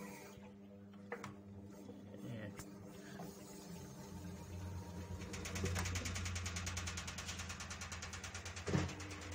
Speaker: पूरी तरह से अच्छे से काम करने लगा, अभी